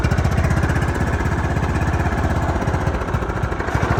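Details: John Deere LT155 riding mower single-cylinder, previously no crank and stalling after 5 seconds, now running after choke: quick, even chugging beat with no misfires, stumbles or knocks; runs healthy and steady.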